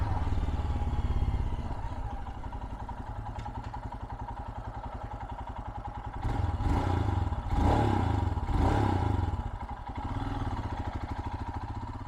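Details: 2022 Royal Enfield Himalayan, ride-by: deep, steady single-cylinder thump swelling as the bike passes and picks up revs, then fading; healthy, even-running normal exhaust note.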